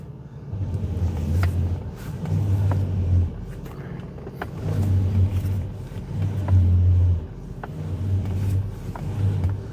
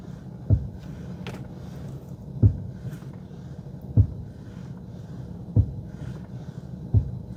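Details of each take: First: Mercedes W124 driving after drag link and steering shock replacement to cure knocking on left turns: steady low road rumble, no clicks or knocks from front end; steering linkage tight and healthy. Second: Mercedes W124 knocking on left turns: five sharp single clunks about 1.5 s apart over a low rumble while turning, traced to a worn ball joint on the driver's side of the drag link; drag link and steering shock replaced.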